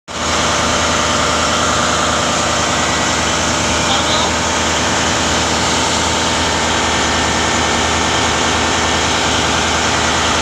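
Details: Loud steady idle with a harsh rough hiss and rattle and no speed change; turbo failure due to a damaged nozzle ring.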